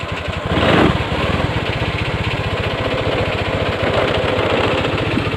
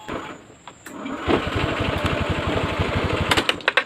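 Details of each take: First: 2014 Honda Scoopy FI scooter after a starter and fuel gauge fault was fixed, started on the button: fires and settles into a quick, even putter with no misses or rattles; normal idle, though a low battery is suspected. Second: Honda Scoopy FI 2014 scooter after starter repair: starter chugs sluggishly and unevenly for about two seconds before the engine catches; owner suspects a low battery and checks it, slow cranking.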